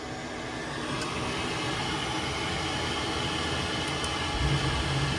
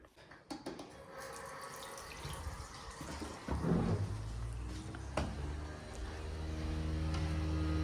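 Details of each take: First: Worcester boiler fan after replacement, previously making a loud motorcycle-like noise: steady, even whoosh with no rough drone or bearing rattle; fan running quieter and healthy. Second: Worcester boiler fires up after the tap is run, giving a loud, rough, droning rumble; the plumber suspects a worn bearing plate in the fan, and the right-hand block was replaced about a year earlier.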